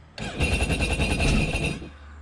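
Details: Sea-Doo Spark jet ski on trailer that died with check-engine alarm, plugged back in and start attempted: one short busy uneven crank of about a second and a half, doesn't catch; hard start, owner suspects failed sensor, fault code to be rechecked.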